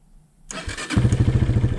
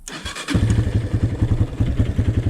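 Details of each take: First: 2003 Honda CRF230F, engine hot, after carburetor float and fuel screw work, bogs when throttle snapped from idle: brief crank, fires almost immediately and settles into an even quick thumping idle; normal hot start. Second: 2003 Honda CRF230F single, hot engine, fuel screw turned one whole turn richer to tune out bog: idles fine but each throttle blip sounds flat and slow to pick up before revs climb; still boggy carburetor response. Cause suspected, not confirmed.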